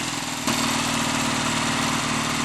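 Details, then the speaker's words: Lightly customized Triumph T140 Bonneville twin, first start attempt via hot-wired ignition: steady even idle with crisp regular exhaust beat, no misses or knocks, no smoke, oil returning strongly; engine sounds healthy. "no smoke either and the engine sounds good that's an excellent starting point"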